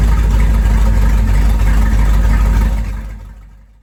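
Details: 1973 Corvette, first drive in five years after its first startup, filmed pulling away: strong, even small-block V8 rumble holding steady, then fading as the car drives off; normal, healthy exhaust note.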